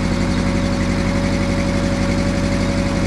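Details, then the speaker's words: VW engine on a sawmill with Solex-Brosol carburetor after full carburetor cleaning (previously rough, hard starting, low power), running about a minute, cold with choke partly in; deep even putter, no knocks or misses: normal running. "sounds awesome I'm going to go check for fuel leaks there's our car oh the mill just sounds great"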